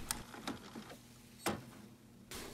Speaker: Nó luôn luôn dừng lại ở đây. Bạn có thể nghe thấy tiếng lách cách rằng nó chạm vào thứ gì đó.